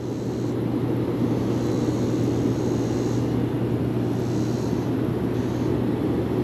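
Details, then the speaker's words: Bullfrog Series X7 hot tub, both jet pumps running after one seized pump was taken apart and its shaft cleaned; loud steady motor drone with constant hum and water rush, no clicking or grinding, normal running. "Hope you can hear me over the uh noise of the thing, but they're both working."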